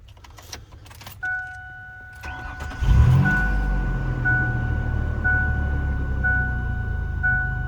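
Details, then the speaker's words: 1999 Ford Explorer after fuel pump replacement through a cut access hatch, previously hard starting with suspected vapor lock; chime, short crank, catches at once into a smooth, even idle. "okay that's promising it actually fired up a lot quicker than I thought it was going to"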